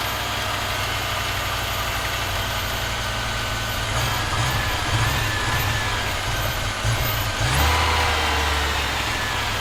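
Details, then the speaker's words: Audi 2.2 Bosch K-Jetronic, new old-stock Bosch injectors, mixture weakened, started via cold start valve: uneven wandering idle with occasional surges; owner plans removing metering unit to set sensor plate height, fuel metering not yet set. "well it's running I think I'm gonna have to take off the the metering unit so that I can just the center plate to get it to a decent height so that it will start and run"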